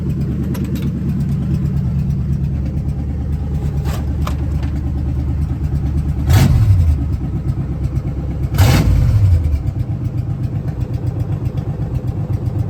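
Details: 1970 Ford Falcon with a budget-rebuilt 5.0 and AOD, at its first start, runs cold on open shorty headers: a lumpy V8 idle with a steady low rumble and two quick throttle blips. Cold oil pressure is about 70–80. There are no knocks or ticks; it starts easily and sounds healthy.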